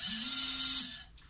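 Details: Xing 2207 brushless FPV quad motor before bearing replacement, spun up on the bench: short spin-up with steady mid-pitch whine under a harsh, high, gritty hiss that stops when it stops; worn bearing.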